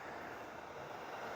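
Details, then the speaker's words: Small fan heater from a charity-shop e-waste haul, set to 32 degrees: steady even rush of air from the little fan with no rattle, tick or pitch wobble, pumping out strong heat; working normally. "Oh, that is pumping out some heat. That's actually not too bad. That would heat a small office very easily. Little fan blows."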